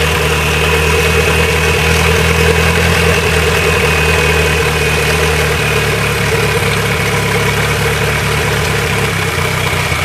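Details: Nissan Sentra GA16DET turbo four-cylinder after a head gasket replacement, warm after driving and not overheating: idle with a slightly uneven, lumpy beat and a faint wavering hum; runs a little rough, cause not pinned down.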